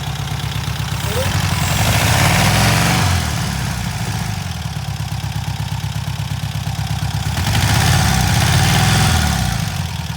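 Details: Freshly rebuilt VW Type 1 flat-four from a Karmann Ghia, first start after machine work, not yet broken in: even, steady low putter with a slow swell in revs, no knocks or misses; runs smoothly.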